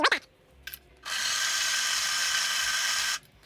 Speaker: I'm going to go grind you're going to hear the grinder but you ain't going to see it